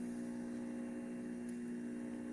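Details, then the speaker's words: Repaired juicer (safety switch had been stuck off) running: smooth, quiet electric hum at constant pitch, no squealing or grinding, so bearings not failing; normal motor running. "Notice the motor is actually quite quiet. You're not hearing any squealing or grinding out of it."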